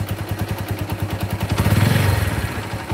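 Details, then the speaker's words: Yamaha Megapro motorcycle engine, rough and weak: loose metallic rattle at idle from slack cam chain, with a heavier camshaft knock joining as throttle opens slightly. "Nah ya teplek lek lek lek jelek jelek jelek jelek jelek jelek itu rantai ketengnya kendur jadinya bunyinya kayak gitu"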